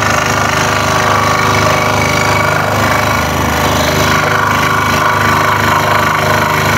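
Fast, steady rattling tap over the saw's hum: the workpiece is bouncing on the table with each blade stroke, so hold it down.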